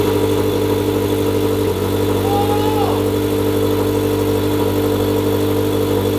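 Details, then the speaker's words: Turbo Subaru BRZ first start on the stock tune, awaiting a custom tune: loud, deep, uneven lumpy idle with no steady beat, heavy smoke believed from the turbo blanket; running very rough, blamed on the stock tune. "it sounds it sounds very rough right now because like i said the stock tune is on it i just wanted to get it started hear it see what it sounded like"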